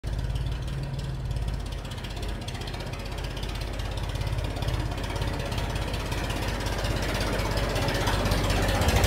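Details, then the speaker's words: Tractor running straight-piped after muffler rusted off at the weld while dragging debris with rake; loud, raw, fast-pulsing diesel bark rising with revs, obnoxiously loud; missing muffler, new one to be installed. "why is your tractor so damn loud? Well, the muffler rotted off and just broke off when I was in the woods dragging a bunch of debris and small trees around with the rake. It has been obnoxiously loud being straight piped, and I'm tired of it."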